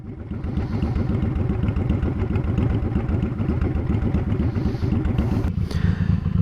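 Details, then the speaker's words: Honda Shadow V-twin with Cobra Streetrod Slashdown exhaust fitted in place of stock, idling, recorded from about ten feet away at the end of a parking stall: deep, loping, steady uneven thumps, no knocks or rattles; normal idle. "so there we have the Cobra Street rod slashed down exhaust here's at an idle from about 10 feet away again I'm at the end of the parking stall"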